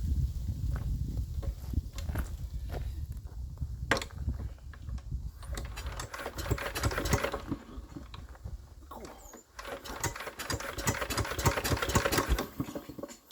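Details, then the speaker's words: Enfield diesel, suspected hydrolocked, injectors refitted: uneven, laboured cranking bursts that stop dead each time, never fires, locking against compression. Cause still unknown. "Come on. Oh, that's still stopping dead. That is really bizarre."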